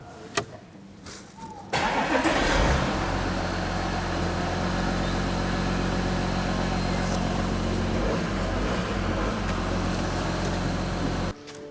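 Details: Porsche Macan 3.0 TDI V6 diesel after new injector seals fixed a misfire from a carbon-spewing injector leak: brief crank then even, steady idle with no miss or puffing; normal idle.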